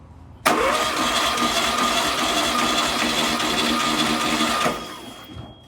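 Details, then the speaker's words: Freshly rebuilt VW Type 1 1776cc flat-four cranked on the bench during a compression test: steady, even starter cranking for about four seconds with no drag. Readings are about 150 psi on every cylinder, equal across the board; normal. "yep just over 150 cylinder 3 and then last but not least cylinder four yep pretty equal across the board"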